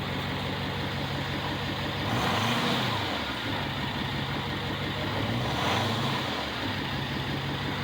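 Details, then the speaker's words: Freshly built 6.4 Power Stroke diesel truck with about 60 miles, an S369 single turbo and an AFE intake, at over 6,400 ft elevation: a steady idle with two short, light throttle blips that rise and settle cleanly, no knocks, normal break-in smoke. Healthy. "that's a normal amount of smoke for a break-in"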